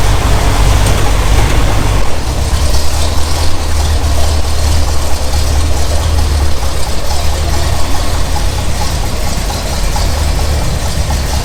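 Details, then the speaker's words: 1964 Buick Riviera nailhead V8, just started after a couple of pedal pumps; deep, even idle with a steady low rumble and no knocks or ticks; sounds healthy. "Those nailheads, they have a different sound to them, man. Sounds pretty good."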